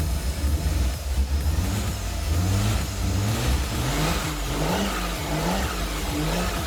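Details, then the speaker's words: 1977 Toyota Celica RA28 with 1G-GTE engine, first start after a 2.5-year build: lumpy, uneven beat under throttle blips, revs hunting, sounding like missing cylinders. It blew smoke when given gas; owner suspects a vacuum issue from the lines left by the old boost gauge/controller. "it was really rough initially you could hear like it was missing like missing a few cylinders and stuff but I gave it a bit of gas and it blew a bunch of smoke out the ba"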